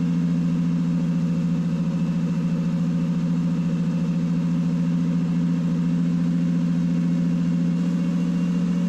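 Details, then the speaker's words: Mercedes running for the first time in 13 years, on its own fuel pump after starting on sprayed fuel, with the belt removed, holds a steady raised hum well above normal tickover without hunting: high idle, cause unknown. "This car is running. This car is running on its own fuel. Unbelievable. I mean, it's idling high, but like what do you expect?"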